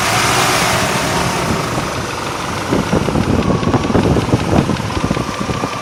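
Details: 1998 Range Rover P38 4.6 HSE V8 idling with a light, fairly quick ticking that gets sharper partway through; owner hopes it is a worn cam with a bouncing tappet, cause unknown.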